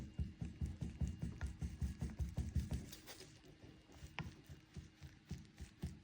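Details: VW T5/T6 with DSG, gearbox-side driveshaft removed and held in a vise: dull knocking clacks, about two or three a second, as the inner CV joint is worked by hand. The joint has play, behind a knock/clonk and slack felt when lifting off the accelerator after long trailer towing.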